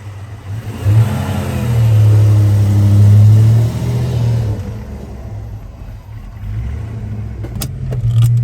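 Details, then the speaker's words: 1988 Ford Mustang 5.0 GT Fox body V8, manual, long neglected, on a short drive after an oil change: lumpy uneven rumble rising and falling with revs, still missing badly; cause undiagnosed, EEC-IV code reader to be used. "Okay so after that drive uh very short drive because still missing pretty bad"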